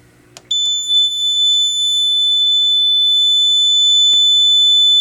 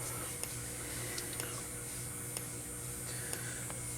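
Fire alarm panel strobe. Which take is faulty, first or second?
second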